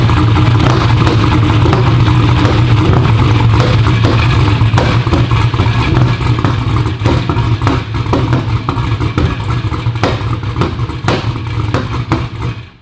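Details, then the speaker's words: V8 first fire-up, lumpy running with irregular sharp pops and cracks through the rumble; missing, popping and backfiring caused by two spark plug wires installed backwards. "I had 2 plug wires on backwards, and that was the reason why it kept missing and popping and backfiring the whole time."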